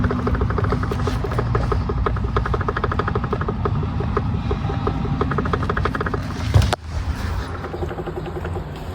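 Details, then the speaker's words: Hyundai Grandeur electric power steering: quick run of sharp clacks as the wheel is rocked by hand; worn flower-shaped rubber damper between EPS motor and shaft causes play, knocking heard in the cabin on bad roads; fix is replacing the damper. "Моторчигін алғаннан кейін мына жерде темперіміз болады осындай, резинка. Осы темперіміз гүл тәрізді желініп кетеді. Желінгеннен кейін люфт пайда болады. Люфт пайда болғаннан кейін тықылдайды солай, тарсылдайды салон"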